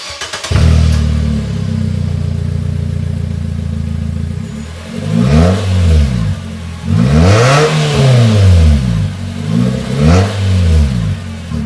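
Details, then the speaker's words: 2016 Nissan Versa Note whose muffler rusted off at the mid-pipe flange, effectively muffler-deleted, before exhaust repair: a deep, booming blat swelling with each throttle blip, far louder than stock. Loud exhaust, muffler rusted off. "So just in case you wanted to hear what a muffler deleted Nissan Versa sounds like, this is what it sounds like."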